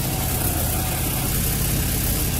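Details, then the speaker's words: 2003 Nissan 350Z with P0300 random misfires: low, uneven idle chuffing with puffing pops from underneath, sounding as if in the engine, from the aftermarket test pipe leaking badly just before the O2 sensor, causing lean running. "you can hear the leak it's really bad and it's causing like some popping and it sounds like it's up in the engine"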